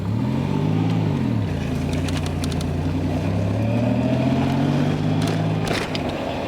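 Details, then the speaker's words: Nissan Z31 first drive after fitting a brand-new Z32 transmission, new engine harness and fuel system; engine note rises and falls through gears with faint rising whine on throttle, transmission suspected: whine under acceleration. "you guys will really be able to hear when i give it some gas it just kind of sounds pretty bad"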